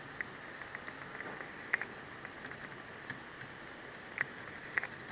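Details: Dell Precision M3800 laptop with SSD, plugged in: faint static hiss and crackles from under it near the power adapter plug during SSD access. Pitch varies with screen brightness, it stops when unplugged and occurs with or without Windows booted; cause not pinned down.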